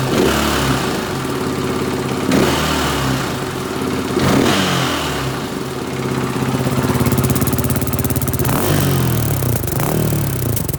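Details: 2017 KTM 450 EXC-F Six Days single-cylinder: steady metallic knock under idle and blips, louder on the right side near the bottom; drained oil held curly silver non-magnetic metal shavings, some on the long screen; cause unknown, was told it was normal.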